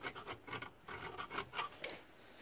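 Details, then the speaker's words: 2006 Kia Rio, 421,000 km, front wheel bearing replacement: quick dry scraping strokes cleaning the hub bearing bore; clean metal sounds scrapy, leftover rust sounds squeaky, now squeaking less. "when it's clean it'll sound like that like it's just scraping there's still rust there it'll sound kind of squeaky"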